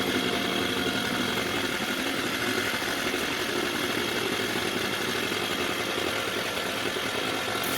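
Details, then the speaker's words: Mercury 4/5 hp two-stroke outboard, fitted with a new carburetor after a no-start, buzzing at a fast, raspy idle that never settles; the idle speed is set too high and needs reducing. "Okay, I gotta reduce the idle."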